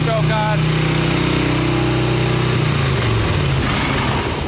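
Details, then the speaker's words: 1989 Harley-Davidson Tour Glide Evo, butterfly carb, on choke: fast, loping high idle (full choke revs to about 4000 rpm) that drops and stumbles. It takes throttle well on choke, but the accelerator pump isn't working and it idles too high; needs a carb clean. "If I go full choke, this thing's going to rev up to four grand."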